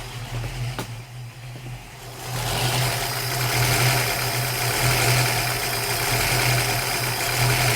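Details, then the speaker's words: 1965 Ford Mustang 289 V8, idle with Summit Racing M2008 carburetor before replacement: idle rises and sags slowly, under once a second, tach hunting instead of holding steady; surge from vacuum leak at the carburetor's leaky throttle shaft. "yeah if you can't notice the uh The Surge from from out here on video look at the tack yeah that's a vacuum leak"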